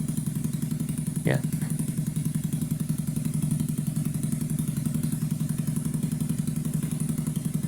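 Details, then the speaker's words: 2009 Skyteam Bad Boy 50cc four-stroke single after an oil change, vacuum leak fixed and idle raised slightly. Even, quick putter with no hunting or stumbling; smooth, settled idle. "You can already hear or you can already tell it's like day and night difference with the oil swap with the vacuum leak now gone with the idle up a little bit like it idles so smooth."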